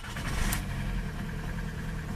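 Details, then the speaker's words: Old VW TDI 90/110 hp with rotary injection pump, cold, in rain; pump adjuster set to overfuel, brief rise then uneven lumpy surging revs, may hit cutoff when warm; fix by tapping adjuster toward timing side. "Trzeba uważać bo ona pójdzie w odcięcie na takiej dawce jak się troszeczkę zagrzeje"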